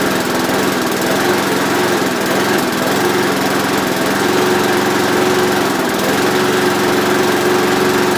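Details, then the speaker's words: Briggs & Stratton-powered Rover mower, cold start after an engine change, with fixed throttle: a steady, high, even drone with no misses or knocks; normal running. "This will be the cold start on the Rover after the engine change, so I'm going to start it up."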